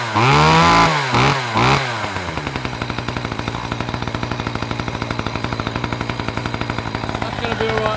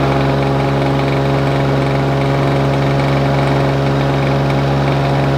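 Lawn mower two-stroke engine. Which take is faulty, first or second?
second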